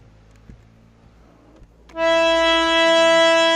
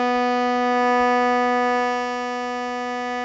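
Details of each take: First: Harmonium reed just tuned by scraping, played coupled with its octave: two held notes ring clean and steady without wobble or beating; in tune. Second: Harmonium B reed played alone, case opened: steady reedy note slightly flat; fix is filing near the reed's free end to raise pitch.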